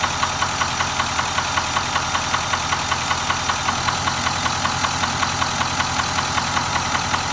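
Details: Nissan Titan XD at 13k miles: sharp, even tapping several times a second over a steady idle, a clear engine knock of unknown cause.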